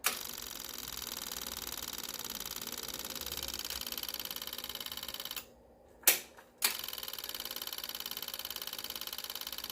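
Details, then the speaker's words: Yamaha V-Star 650 Classic with a new fuel pump and fuel lines, line reconnected: fast, steady, high-pitched ticking buzz that pauses briefly then resumes; the pump primes evenly and sounds healthy. "Let's test that fuel pump right me got her hooked up again line is back on we have fuel let's prime it"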